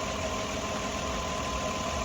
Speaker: but you know our RPMs are right where they should be and are most importantly I don't hear that vacuum leak and our math readings are spot on